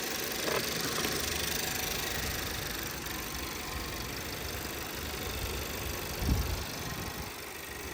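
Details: 2017 VW Passat 1.8, over 3 minutes after replacing the camshaft adjustment (variable timing) solenoid for random all-cylinder misfires: quiet, steady idle with no stumbles or missed beats; no misfire returned.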